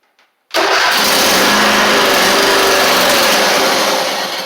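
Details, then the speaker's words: Husqvarna YTH24V48 mower needing an engine swap, 304 hours, no choke cable hooked up: starter spins engine steadily but it doesn't fire; no carburetor solenoid click heard; fuel pump later found bad, spraying. "Awesome, so that's good. It'll kick over, but it's not gonna, I don't think it's gonna pull any gas in."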